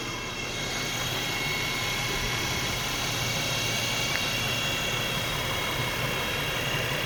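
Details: 2011 Nissan Xterra: steady high-pitched whine over the vehicle's running noise, holding an even pitch throughout.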